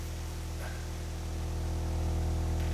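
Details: Sony MDR-V6 headphones fed a low sine tone around 50–60 Hz as the amp is turned up: the deep tone turns buzzy and clicky with clipping as the driver hits its excursion limit and bottoms out.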